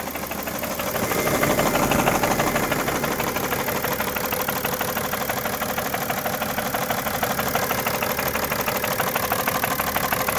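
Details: 2011 BMW 335d diesel idling with a hard, steady knock about three per second; source unknown, engine also smokes badly.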